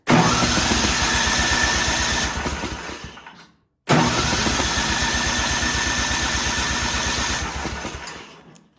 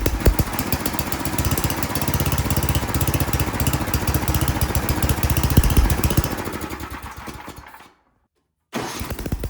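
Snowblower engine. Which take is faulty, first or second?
first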